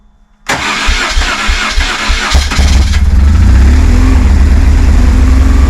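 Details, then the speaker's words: High-mileage BMW R1150GS, first start: starter whirs, engine catches and settles to a fast, uneven, lumpy idle; one throttle body was held open. "right we're idling a bit high but it works sounds a little bit rough at the minute I'm not sure what's going on"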